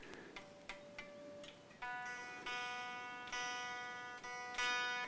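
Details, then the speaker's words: Epiphone ES339 with plastic nut, during bridge replacement and setup: string rings while tuning with sharp metallic pings as it catches in the nut slot, causing tuning instability; string binding in the nut slot. "that pinging sound was the string getting caught in the uh whatever that thing is nut and it makes it very difficult to um it will stop it from moving through the nut properly and it will cause it to go out of tune"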